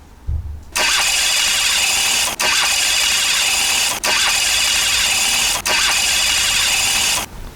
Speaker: 스타트 모터 소음이 끼룩끼룩끼룩끼룩끼룩끼룩끼룩 열심히 잘 돌아간다.